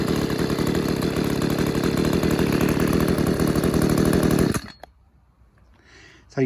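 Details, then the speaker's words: Refurbished Stihl KM94RC two-stroke combi engine after a cold start, held at gentle revs to run in the piston rings; fault was mainly in the carb: steady, even buzz with clean regular firing until switched off; healthy. "i'm not going to rev it too hard at the moment i'll work it too hard because i want them piston rings to run in and that but um yeah um running well sounds good"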